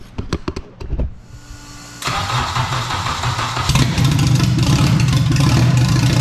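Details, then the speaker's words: Rebuilt engine in a turbo AWD wagon restarted. It cranks a few times, catches and settles into an even, steady idle with no knocks or rattles, sounding better than the previous engine; normal start and idle. "we're gonna fire this thing back up and we're gonna hear it again it sounds way better than the last engine"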